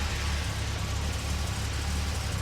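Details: Series 1 Jaguar E-Type after an ignition system overhaul, timing verified bang on, started with a little choke: steady, even low rumble with no misses, knocks or hunting; healthy idle.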